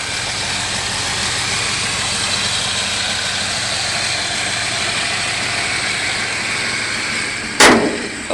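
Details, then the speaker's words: Unrestored 1987 Toyota Land Cruiser that starts on the first try: a steady, unhurried idle under heavy hiss, with a faint, even low hum that never stumbles; it runs healthy. "But it is a Toyota Land Cruiser, and it's running really good. You can hear it running."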